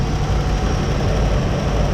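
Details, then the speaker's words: 1957 Chevy V8, warmed up after running a while, valve adjustment not done, exhaust tied up to stop rattling: smooth even idle with no ticking; runs cleanly. "but it sounds really good now very pleased"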